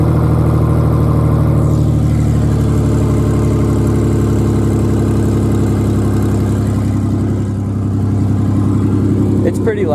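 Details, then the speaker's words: Modified Ford Ranger 4.0 with EGR delete, cold-start idle on open headers with no exhaust: a loud, raw, throbbing, unmuffled idle that is too loud. No check engine light. "It's too loud with open headers."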